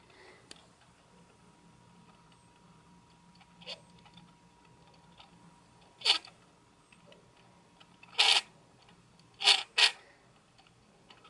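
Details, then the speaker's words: Sony NEX-5N with SEL50F18 50mm f/1.8 E-mount lens, OSS stabilization on, in a quiet bathroom: short, harsh scratchy grinding bursts from the stabilizer motor; there is no grinding with OSS off. "okay the obligatory bathroom test steady shot on and I'll shut up so you can hear the grinding noise on the stabilization motor"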